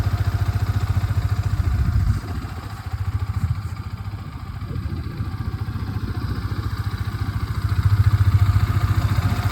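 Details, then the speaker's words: Yamaha R15 V3 single-cylinder at idle after the faulty one-way clutch was fixed: steady, even, low smooth idle with no rattle or clatter; the earlier noise is completely gone, normal idle. "वो आवाज अब पूरी तरीके से जा चुकी है। मेरा प्रॉब्लम तो सॉल्व हो गया।"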